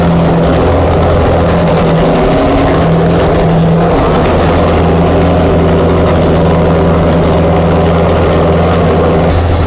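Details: Chrysler 440 Six Pack V8 with freshly rebuilt triple two-barrel carbs, before warm-up: loud, lumpy, loping fast idle lacking crisp rhythm; water-bottle check finds two cold pipes per side, four cylinders misfiring, running rich; cause not yet known.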